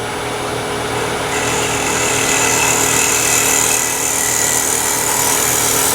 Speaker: there's that vibration when you're eliminating vibration you go back and make that cut the second time sometimes you hear the vibration a second time it's the marks on the wood that are still there you've got to cut them away